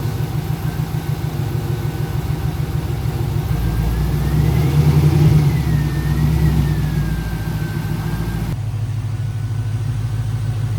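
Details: Pontiac GTO revival project running for the first time: steady, even low rumble with a brief rise in revs that settles back, normal idle while warming up near 160, smoke settling, then backed out to test the clutch.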